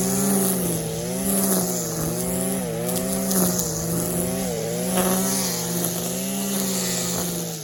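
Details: Stihl KM94 RC combi powerhead with strimmer attachment, tested after a rebuild with new bearings, seals and carb work following years of hard use: revving high and clean, steady even buzz, crisp throttle response, no misfire or rattle; running healthy.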